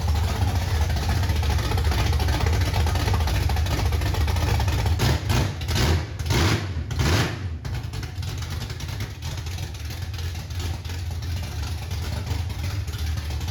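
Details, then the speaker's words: 1968 Ford Mustang with no exhaust fitted: loud, deep, open rumble with a couple of quick throttle blips, then a steady lope; healthy engine sounding like a race motor. "This thing sounds fucking nasty. Yeah. This thing sounds like a race motor, bro. No exhaust. It sounds fucking sick."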